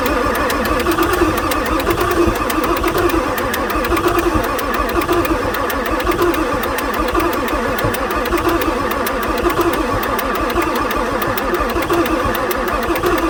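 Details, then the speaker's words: 1994 Ford F-450/F-350 Super Duty 7.3 diesel, pre-OBD2, sat for months, boosted batteries, glow plugs cycling: long uneven labored cranking that won't start; high-pressure oil pump keeps losing prime, ICP around 0.5 V, engine seems tired; hard starting. "so this thing keeps losing its oil pump Prime for the high pressure oil pump"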